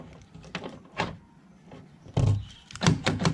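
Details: Tata Sumo Gold door after fixing a rattle with a cable tie and resetting a lock that would not lock: several crisp, solid thunks as it cycles locked and unlocked, no rattle or hesitation; normal door lock operation.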